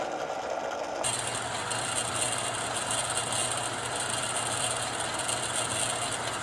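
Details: Lortone 3A rock tumbler after replacing the plastic drum supports with roller bearings: steady, even rolling hum with no squeal or scraping; the drum now runs quietly.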